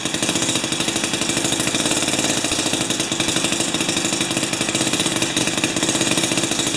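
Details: Jiffy 30 3HP two-stroke ice auger on 30:1 fuel, after repositioning the carburetor diaphragm and priming: fast crisp popping at a steady high idle, no stalling; runs properly, though it still backfires at full rpm.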